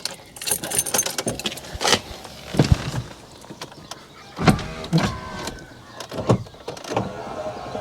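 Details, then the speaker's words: Rover 200 Vi power window, ignition on: short bursts of motor whirring inside the door with faint clicks, but the glass barely moves; window regulator runs but glass stays put, suspected to have jumped its rails. "you can hear the mechanism inside doing stuff that's the top and down again you can see a little bit of movement on the glass if something comes off i think it must have jumped its rails"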